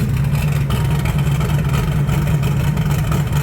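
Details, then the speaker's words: 1980 Trans Am Gen 1 small-block Chevy V8 turbo after valve seal replacement and a drive to clear it out: deep lumpy burble with light throttle blips, no misses, ticks or knocks; smoke gone, barely any at startup; normal revving. "So I drove it around the block, I got on it, and yeah, I think it cleared it out. I think it's good now."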